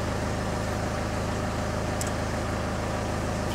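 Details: Citroen Xsara Picasso diesel with over 512,000 miles, stationary at idle during diagnostic readout; steady, even diesel clatter with smooth repeating beat, no misses or knocks, healthy normal idle.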